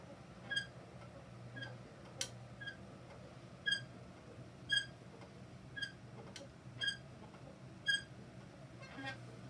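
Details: Peloton bike pedaled: a short, high squeak repeats about once a second over a low steady hum; recurring squeak the owner finds maddening.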